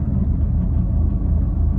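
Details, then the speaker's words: Fiat 500 Cat S repair, running premium petrol and Redex: deep, uneven, pulsing rough idle; it drives fine, and the owner suspects the vibration comes from the air intake pipe or the coil pack; cause not confirmed. "as you can hear or see we're still doing it it's still rough it drives fine absolutely fine"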